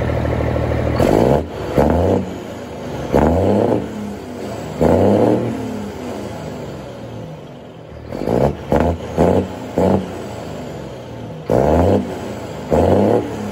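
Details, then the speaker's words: Freightliner FLD120 with Cummins M11 diesel after fuel water separator replacement fixed air entering the fuel system; heavy diesel clatter with repeated quick revs climbing and dropping cleanly, then steady idle without stumbling; running healthy. "all right I'll give y'all a couple of revs come on y'all just stay seated there we go"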